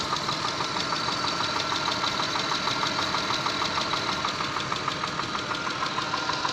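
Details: Mitsubishi 6A13 engine, slightly warmed, recorded from inside the car: a steady, fairly even knock about three times a second rides over the warm idle; the source is unknown.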